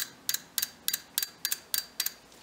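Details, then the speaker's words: VW 2.0 TSI fuel injector removed for cleaning and testing, bench-powered from a battery via jumper leads and repin-kit terminals after a poor first connection; crisp, sharp double ticks about three times a second over quiet background; injector opens and closes normally. "you know yes my connection was a little bit off inside there but as you can hear now clicks"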